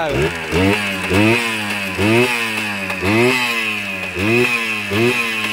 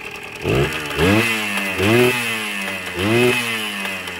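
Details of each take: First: Kawasaki KE100 two-stroke, first start after fixing a hesitation, muffler tip replaced: crisp blips rise cleanly and drop back to a steady idle without stumbling; engine healthy, idle/air screw still to adjust. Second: Kawasaki KE100 two-stroke after new muffler tip, earlier hesitation falling on its face: ragged buzz rising and falling with repeated throttle blips, revving unevenly; air screw needs adjustment.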